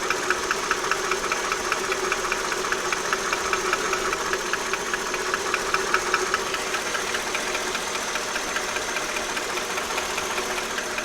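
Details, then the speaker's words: Mercedes S430 W220 M113 V8 at warm idle: light steady tapping knock, two or three taps a second, on the left side; absent on cold start, goes away with a little throttle, persists through oil changes and a harmonic balancer replacement, ongoing almost 3 years. "When cold, on the cold start, there is no knocking noise, but as soon as it gets warmed up, you'll hear a slight knock on the left side."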